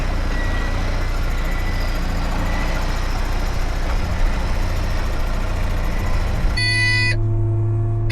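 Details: Caterpillar 18M3 motor grader driving to the workshop. A loud, steady electronic beep sounds over the diesel rumble. Steering fault warning beep.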